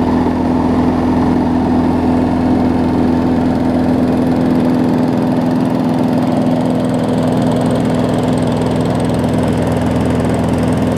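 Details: 2012 Bolens push mower with Briggs & Stratton 500 series engine, after stretching the governor spring because it ran slow: steady, even drone without hunting or surging, governor holding speed; normal running.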